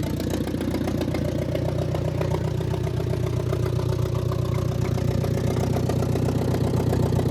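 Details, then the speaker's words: Old Ford Jubilee half-track tractor, sat 5 years, running after carb adjustment with exhaust straight off manifold: loud open idle, steady about four pulses per second, no misses; carb leaking, venturi chewed. "And it doesn't sound half bad."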